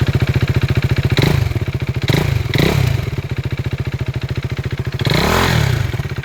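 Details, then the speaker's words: 2016 KTM RC 390 BS3 single-cylinder, about 29k km, startup recorded with the mic removed: even idle thump about three or four beats a second with a few throttle blips. There is a slight vibration from a bolt. Normal idle. "[സംഗീതം] അപ്പൊ ഇതാണ് വണ്ടിയുടെ starting sound കേട്ടോ"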